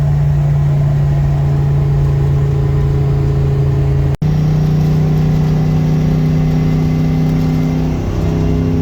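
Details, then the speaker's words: A supercharged 302 Windsor V8 during a light pull in high gear at low rpm: a steady low drone with a constant supercharger whine. The belt is still on; it later came off on a second-gear pull. "High gear, low RPM, little mini pull. Well, I still hear the belt, so it's still on the engine. That's a good sign."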